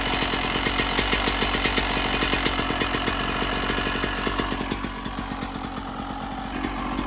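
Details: 1996 Yamaha YZ250 two-stroke, warmed up, pipe too hot to touch, before carb work: ragged crackly idle, stumbles and loses power when opened up; small blips okay, bogs with more throttle, suspected pilot jet issue.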